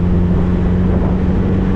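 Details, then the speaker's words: 1973 VW Thing, first drive after brake bleed and fuel system install, cruising in third gear: steady, even low drone with no knocks, misses or rattles; air-cooled engine sounds healthy. "But I'm just cruising in third right now. She sounds good. Sounds nice, sounds healthy."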